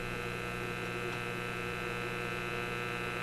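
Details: Simplex antique vacuum tube radio, after the Magic Eye B+ fix, supply just raised from a low-voltage setting; about 122 V measured. Constant low buzzy hum, steady and unchanging; cause not confirmed. Mains hum.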